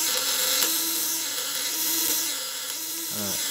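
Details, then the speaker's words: Platinum contact-breaker shocker (PDC 200–500W, 1kg coil) with polished widia contacts on a loose, battery-saving setting: a steady high-pitched buzz from the vibrating points, even and without arcing crackle; contact vibration is normal and safe. "ini getarannya aman. Nah, getaran platinanya"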